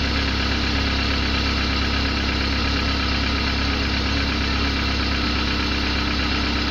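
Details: Car engine at rough idle with a loose, uneven pulse and a persistent rattly background noise; engine described as unstable and making an annoying noise.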